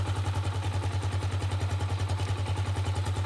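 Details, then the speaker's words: Gatoma GT150A motorcycle, after electric start on its year-old battery: even single-cylinder thump around three and a half beats a second, steady and clean with no knocks; healthy idle, charging voltage 13.5 V and rising. "Yep, it's time to crank it. See, let's go. There it goes."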